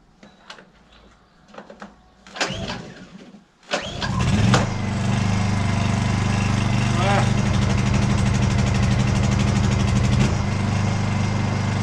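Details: Honda inverter generator started on choke with old petrol: after a few handling knocks it catches and settles straight into a steady, even hum; normal start and running.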